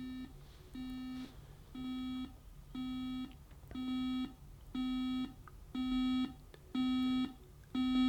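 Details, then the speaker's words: Bush DAB USB clock radio buzzer alarm ramping up in volume, heard at about halfway: steady-pitched beep bursts about once a second, each louder than the last; alarm working normally, can be snoozed. "There you go, it's quite loud. And remember, that's only halfway."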